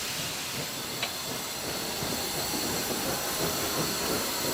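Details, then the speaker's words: Preserved South African steam locomotive at Capital Park, Pretoria, moving at slow speed after the cylinder cock lever is closed: steady steam hiss with soft, even exhaust beat, normal. "and you listen to the beat of the engine it's nice and soft we're moving at a nice slow speed"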